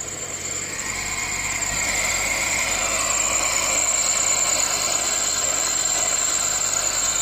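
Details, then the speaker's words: Fiat Linea after AC compressor clutch and pulley replacement, at idle: steady high thin chirp-squeal with a faint three-per-second ripple that lessens with AC on; AC belt suspected (non-genuine belt blamed), not confirmed. "आपको आवाज़ सुनाता हूँ एक बारी, ये सुनो guys and as soon as I turn the AC on ना, तब ये आवाज़ थोड़ी कम हो जाती है, ख़त्म नहीं होती है, कम हो"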